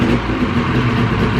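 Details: 2000 Ski-Doo Grand Touring 600 two-stroke snowmobile, sat outdoors 3+ years, first start after carb cleaning on full choke: slow, uneven, labouring idle near stalling; idle speed set too low and needs raising.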